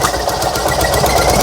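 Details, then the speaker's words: Fiat 126p air-cooled twin with low compression, running on 92% denatured alcohol instead of petrol, cold: coughs and sputters with uneven, stumbling beat, won't idle without throttle; misfire from alcohol fuel. "prycha nic spróbuję jeszcze raz zobaczymy"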